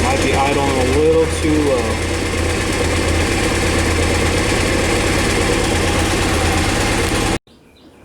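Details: 1998 Honda CBR after carb rebuild, new plugs and K&N air filter, tried choke on then off: uneven loping four-cylinder idle that stumbles and hesitates on throttle blips; still running rough, fueling or air leak suspected.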